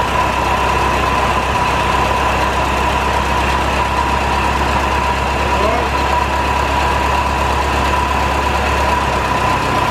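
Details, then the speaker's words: 1949 Ferguson TO-20, Continental Z120 four-cylinder, sat 15–20+ years; first run after cleaning goo from the carb inlet filter, no coolant in it; high whine over a lumpy idle, owner suspects bad generator bearings. "sounds like the generator bearings are really bad though that sounded pretty rough"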